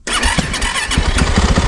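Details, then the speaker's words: Bike started with the button after storage in neutral: a gunshot-like bang, then it catches and settles into a rough, loud, fast-firing idle. The cause of the bang is uncertain. "What? That sounded like a gunshot. But hey, the bike started. That's good news. And it's actually idling."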